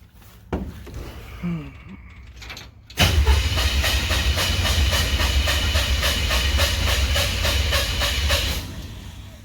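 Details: 1968 Chevrolet C10 first start after wiring, float bowls hand-filled, carb pumped: starter cranks evenly at about 3.5 beats a second but never catches; cause found to be the distributor power wire not seated.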